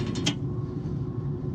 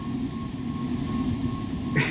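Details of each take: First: Rooftop HVAC unit blower before repair: steady low hum with a faint mechanical rattle, unit shaking slightly; blower wheel bearing housing held by only one bolt, other bolt holes stripped. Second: Rooftop (RTU) HVAC unit blower running after repair: blower wheel bearing housing, previously held by one bolt with stripped holes, remounted with newly drilled holes; steady airy rumble with thin constant tone, no knocking, only slight wobble left.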